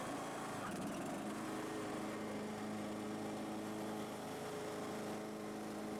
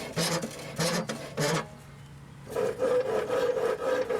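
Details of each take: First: Husqvarna YTH18542 riding mower after a deck rebuild with new pillars and the old belt reused: steady high engine speed with the blades engaged, an even drone and no belt squeal; the mower still shakes. Normal running with blades engaged. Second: Husqvarna YTH18542 mower deck spindle spun by hand before rebuild: rough, gritty grinding in bursts; spindle bearings worn out.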